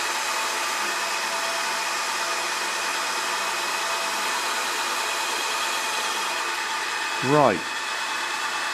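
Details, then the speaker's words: BL 2.4GHz RC helicopter 9004G, freshly charged battery, pinned to the ground during the speed button test: steady high whir and hiss at even pitch with one brief rising chirp. Normal running. "did make a difference that definitely made a difference then I could hear it but you probably couldn't hear it with the noise"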